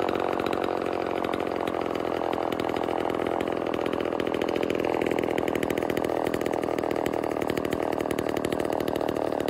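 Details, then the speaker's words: Vintage Homelite Super XL Automatic chainsaw two-stroke, before repair: fast, raspy idle that hunts and wavers instead of settling; owner suspects reed issue and air leak, later finding a reed with a piece missing and another gapped. "i have had it running and idling and i have a feeling it's got a read issue um and i also have a feeling it might have an air leak"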